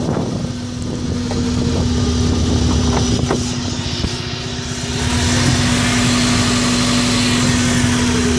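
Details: Subaru Impreza idle, owner unsure whether coils or MAF are at fault: rough, uneven idle with an irregular stumble about four times a second breaking the beat; points to a misfire.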